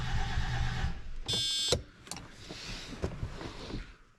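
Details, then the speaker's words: 1987 Mercedes 300SDL OM603 3.0L turbo diesel, sat five years after turbo and head failure, replacement 350SDL head fitted, heater used: cranks steadily with uneven chug, never fires; crank no start, owner suspects no fuel, unconfirmed. "that sounds like no fuel yeah so it's either I wish I had a line pressure tester well that might be the next next thing on the docket"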